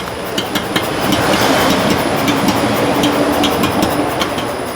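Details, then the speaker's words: Hyundai Santa Fe rolling: sharp, irregular knocks over steady rolling noise from the shock absorber shaft, still there after new shocks and mounts removed 80% of the suspension noise. "O que acontece? O barulho faz na árvore do amortecedor."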